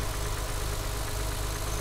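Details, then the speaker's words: BMW E36 M3 at idle: steady idle with a light, fast metallic rattle over the low engine beat, heard from the back; mild rattle of unknown origin. "There's a bit of funky noise on idle, you can hear it on the back. I do not know what that is."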